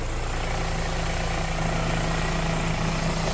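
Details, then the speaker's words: 2013 Renault Fluence idling in Drive with A/C on to load the engine, after replacing engine mount, belt tensioner and belt: smooth even idle, no chirp or rattle from belt area; previous noise gone. "tá ó carro engatado em drive ar ligado para pesar o compressor né Para dar carga do motor e forçar o barulho e o barulho aqui agora tá zerado"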